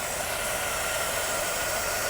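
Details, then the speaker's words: Long-abandoned American police car started in an overgrown garden: constant airy hiss like a vacuum leak with a faint thin whistle, actually a rusty serpentine belt on the alternator or another ancillary pulley. "It sounds like it's it's air sucking in, but it's not. It's just a rusty belt."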